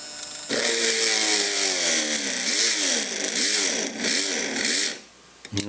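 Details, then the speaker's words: Innocraftsman mini drill press drilling metal into an existing small pilot hole: high motor whine dips and recovers over and over as the bit bites; the motor bogs and lacks the power for heavier material. "it doesn't have the power for that."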